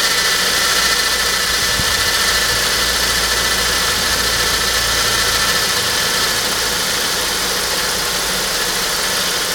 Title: Saab 9-5 strange noise 1